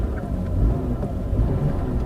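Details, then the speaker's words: Sovereign Estate with a 3-litre V6, automatic and all-wheel drive, on a drive with no warning lights: a deep, even rumble at steady cruise with no knocks or misses; the engine is smooth and healthy. "It's just a really good engine, that. Really smooth, creamy V6."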